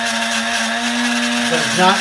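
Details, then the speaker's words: Vintage Sunbeam Mixmaster portable stand mixer bought on eBay, first run after unboxing: steady buzzing hum with harsh rasp growing rougher, motor sounds unhealthy; cause unknown. "yeah that does not sound very healthy at all so we have the wrong bowl and that motor sounds horrible"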